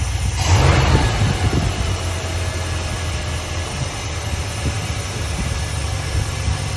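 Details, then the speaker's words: 1972 Dodge W200 Power Wagon V8, revived after years sitting, warming up awaiting thermostat, 35–40 PSI oil pressure, charging, smoking a lot, low on gas: low even rumble, steady idle, no knocks or ticks; motor very quiet, bottom end healthy. "But this motor is silent. It is so quiet."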